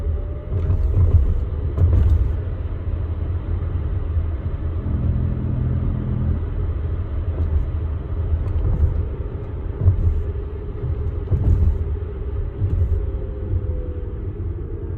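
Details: Tesla Model X driving over a rough cobblestone road: heavy road rumble with occasional sharp knocks from the vehicle's underside; cause suspected, not confirmed.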